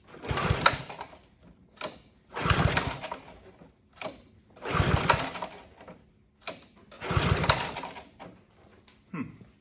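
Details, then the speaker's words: Honda HRB215 push mower stored for years, on choke with starting fluid before carb cleaning: short bursts of uneven firing that rise and die every couple of seconds, never settling; fuel starvation from plugged carburettor main jet. "doesn't sound too good much starting fluid left but there's some"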